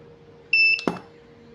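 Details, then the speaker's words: Godox SK-series (SK300/SK400II) studio flash, no E3, at full 1/1 power: a high steady beep, a sharp pop as it fires, then another beep once recharged; it fires and recycles normally. "mantap ya. Tuh mantap sekali teman-teman ya, tembakannya panasnya berasa, suaranya cukup mengerikan gitu ya."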